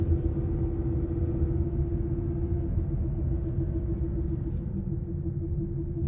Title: Humming noise from prof-shaft centre bearing support. #mechanic